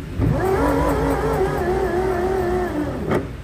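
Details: Bajaj Chetak electric scooter rear drive motor spinning off load: harsh, uneven, wavering whine with grinding roughness, louder when ridden, pointing to an internal motor fault; fix is motor replacement.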